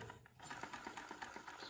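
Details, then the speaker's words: Sewing machine after only oiling and light cleaning, with the nathi set low and needle up: light, even clicking at a steady quick pace with no scrape or knock; sound now clear, running free and smooth. "उसके बाद में आप देखो कि बराबर आएगी। अब इसकी आवाज़ देखो एकदम क्लियर"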